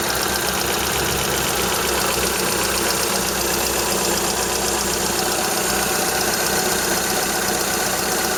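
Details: Toyota Corolla Ceros, 4A-FE engine, C50 manual gearbox, idling: light, fast, slightly uneven ticking clatter over hiss; owner unsure if valve or gearbox shafts; slight exhaust corrugated-pipe leak also present.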